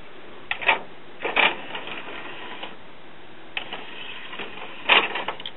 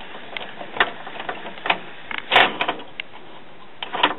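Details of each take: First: December 2001 Japanese-made commercial Denon CD player/cassette recorder, after repair: a few short bursts of whirring clicks as the tray draws in and seats, with no grinding or slipping; the disc loads normally. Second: December 2001 Japanese-made commercial Denon CD player/cassette recorder, after a belt refit and an epoxied homemade gear pin: irregular clicks and clunks from the tray mechanism, about one every second or two, as it snags; the loading gear is out of time.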